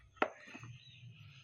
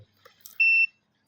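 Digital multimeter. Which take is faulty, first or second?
first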